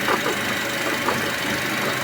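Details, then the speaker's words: Ravon R4 engine at idle before repair: light, fast ticking from front of engine; water pump or tensioner bearing suspected, removed pump showed bearing play causing the ticking, replaced with new pump. "Помпадан или натяжной подшипник деген күдікпенен қазір ашып көреміз."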